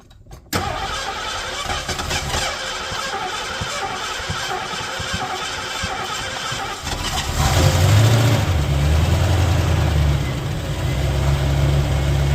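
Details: 1985 Mercury Marquis police interceptor 351 Windsor V8 with aftermarket cam, mufflers, timing 12° base/36° max: cranks, catches within a second, settles into a steady, even idle, deep regular beat, no knocks or ticks; cam not very lopey, slight blow-by; normal idle.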